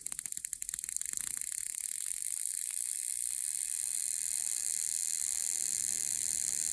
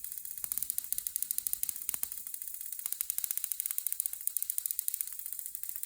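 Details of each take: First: Homebuilt Tesla-style HF high-voltage generator (neon sign transformer, capacitors, tube spark gap) as input voltage is raised: rapid crackling snaps settling into a buzzing sizzle; uneven breaking because the first two gap tubes are not parallel. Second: Homebuilt Tesla-style high-frequency high-voltage generator (neon sign transformer, capacitors, spark gap) at the lowest power setting, rod held near the secondary: quick, even, crisp snapping sparks at a steady rate with no hum; spark gap firing normally.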